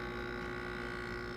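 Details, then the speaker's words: Heat pump water heater compressor kicking on, recorded right beside the unit: a steady low mechanical hum with even tones and no knocks, fairly audible here but not heard upstairs; normal operation. "that's the compressor of the heat pump water heater coming on. I was waiting for that to happen. It's fairly audible right here with the cover on it."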